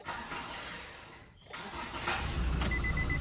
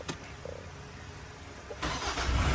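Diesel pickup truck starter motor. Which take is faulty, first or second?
first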